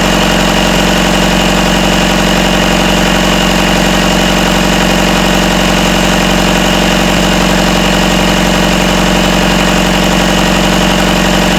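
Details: Rebuilt Isuzu 4BD1T diesel in a Hitachi EX120-2 excavator, first run after start: steady even idle about 1250 rpm, rattle from loose rear bolts gone after tightening; normal idle.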